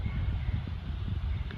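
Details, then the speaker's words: Small fan on its slow third-gear setting, rewired with a rice-cooker thermal part, 220 V: soft steady whoosh of air with low rumble, no ticks or rubbing; fan running normally at low speed, later compared with fast setting. "The fan may not be able to see its speed. Everyone can listen to this wind you can tell the speed Now it's up and running Listen to the wind speed."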